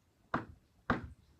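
Two soft, solid clunks about half a second apart with nothing rattling after; case and bullet are sitting fully home in the sleeve.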